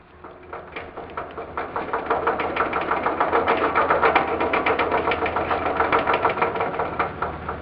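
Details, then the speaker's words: 1958 Wheel Horse garden tractor with early-style (1958–61) transmission gears of poor tooth geometry, rolled in reverse on a cement floor: rhythmic knocking about three per second that rises with speed, silent going forward. Worn transmission gear teeth. "When you roll in reverse, you can hear a knocking noise. Forward, you don't hear anything. When you roll in reverse, you hear the knocking noise."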